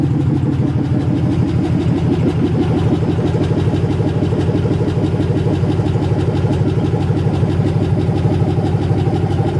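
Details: 1980 Chevy C20 with a swapped 4.8L LS V8, first fire-up after the swap, open headers: loud, lumpy rumble with evenly spaced pulses at a steady idle. No misses or knocks; a healthy, freshly swapped engine.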